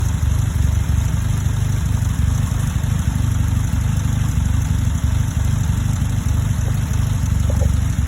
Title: Vacuum rough idle